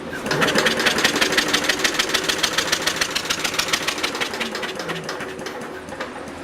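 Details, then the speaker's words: Universal model 42 RSS generator, 2500 W, 1800 RPM, cold start after sitting 5 years: rapid, even starter chugging with no firing; no spark at the plug. "Alright, we got no spark. Wonder, points are right here."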